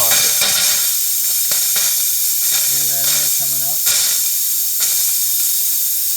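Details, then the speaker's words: 2019 Leisure Travel Vans Unity FX RV winterization blowout, with 150 psi shop air regulated to 55 psi: loud steady hiss with sputtering spits as air pushes the last water out of an open faucet before RV antifreeze goes in. Normal. "And we want to make sure that all the water that we can get out is out before we start pumping the RV antifreeze in"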